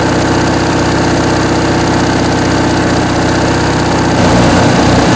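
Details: Briggs & Stratton 19.5 hp opposed twin from a Craftsman riding mower, sat unused, tampered carburettor with stripped main jet, carb rebuilt, bench test; loud, steady putter at even idle, firing regularly with no misses. Normal idle.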